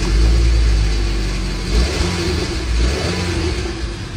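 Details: Car that wouldn't start and blew black smoke from the exhaust, after the fix; engine picks up and revs smoothly, then settles without stumbling or misfire: problem solved, normal running and revving.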